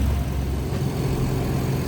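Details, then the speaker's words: Ford Explorer after misfire repair on cylinders one and two, codes cleared: steady, deep idle with no stumble, now running evenly on all cylinders; normal idle. "silnik już Równo pracuje Widzicie a był tylko na drugim"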